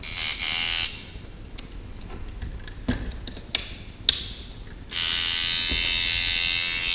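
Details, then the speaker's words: Sidewinder V3 tattoo machine at 5.5 volts with the spring tension at about 1 mm and the stroke lengthened: a high-pitched buzz with a slightly uneven, stuttering run. The overly long stroke is making it run choppy. "I like the tune at 5.5 volts you can hear it's kind of choppy right now"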